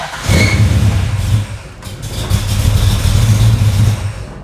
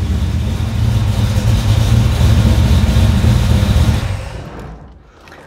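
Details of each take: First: Engine with FiTech throttle-body fuel injection, hard start especially warm: cranks and cranks, then sputters and surges unevenly before holding rough running; EFI unit unpowered while cranking, fixed by wiring correction. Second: Carbureted engine converted to FiTech fuel injection, after fixing the rpm-signal wiring problem so the unit reads rpm while cranking: deep steady rumble settling smoothly after start with no misses or hesitation; runs properly.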